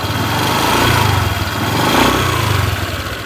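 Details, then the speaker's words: Honda Vario 150 FI scooter, 2021-onward model, heard at the central main engine section; idles and revs with a slightly rough, gravelly "ngerenyek" note pulsing about once a second, louder on throttle. Rough engine noise, cause unclear. "teman-teman bisa mendengarkan suara mesin pada motor Vario ini ya teman-teman jadi suaranya sedikit agak kasar sepertinya ngerenyek-ngek seperti itu ya"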